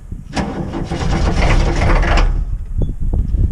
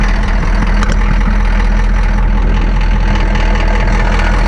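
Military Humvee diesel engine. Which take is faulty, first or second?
first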